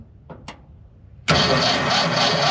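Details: 1978 Ford F100 with Ford 300 inline-six, jumpered from the solenoid to the battery with fuel poured into the carburetor; a couple of faint clicks, then steady even cranking with no firing, as the coil had no feed wire yet.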